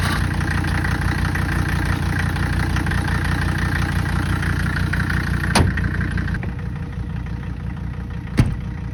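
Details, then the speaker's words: 1985 Mercedes 300D diesel, leaking fuel, idling with an uneven knocking clatter about three beats a second and faint turbo whistle; sounds weak and drove with almost zero power. "But um it drove it has absolutely zero power. About um one hamster or half a hamster power probably."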